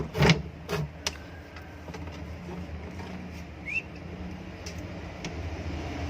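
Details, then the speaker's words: Exhaust fan motor, final test after replacing bearings with new 6201 bearings, back cover fitted: after handling clicks, steady low hum with no bearing growl or rattle, rotating correctly. Normal running. "ये देखिए बिल्कुल सही घूम रही है, शॉर्ट भी इसकी ओके है। चलिए फ्रेंड्स, ये हमारी मोटर बिल्कुल सेट हो चुकी है।"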